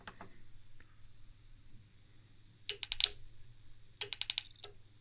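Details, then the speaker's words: Danbridge JP12A 12 kV insulation tester (about 1985, unsure), voltage turned up: two bursts of sharp snapping crackles over a quiet hum, suspected spark-over in the cable or inside the high-voltage section. "did you hear that it was definitely spark over somewhere and that is probably in the cable or in its scary [ __ ] huh"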